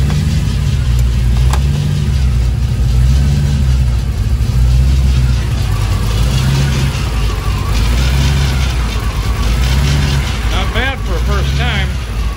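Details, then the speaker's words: 1932 Ford 3-window coupe with a 6-71 supercharger and Holley Super Sniper fuel injection on its first start: a deep, lumpy idle, loping slowly and unevenly with a heavy low thump. The idle is set too low. "i think the idol needs to be uh sped up a little bit she's a little slow on the [Music] idler"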